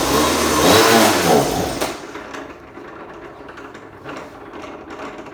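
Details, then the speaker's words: Small engine on an RC go-kart, just after a new 35 kg throttle servo was fitted and while still warming up, buzzes high on throttle then drops off and sputters unevenly; bogging, owner suspects the carburetor or the gas. "The only thing I gotta do is I gotta check what's going on with that carburetor. Sounds like it's bogging. Could be the gas."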